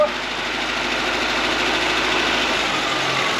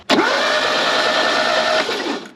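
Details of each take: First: Fiat 124 Sport Spider off the road since at least 2011, first start on a carburettor with fuel pump running and choke plate held: rough, uneven, slightly hunting idle with a hissy top end; cold start on choke, good oil pressure afterwards. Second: Fiat 124 Sport Spider off the road since at least 2011, baseline timing good, ignition on with good voltage: under two seconds of steady whirring crank that never fires; crank no start, no spark, points later cleaned as they made no connection.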